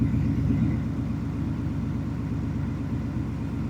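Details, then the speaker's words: 2019 Ford F-150 5.0 L V8, warmed up, after cylinder 4 misfire repair: low even rumble with steady beat, no skips; smooth idle, all cylinders firing. "so cylinder 4 we can 100% see this thing is fixed now car is running smooth"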